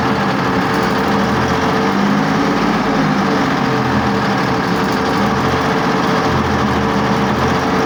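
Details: BMP YPR 756 engine test run after repair: a steady, even diesel run at fast idle with a constant low drone and no knocks or grinding. It runs normally.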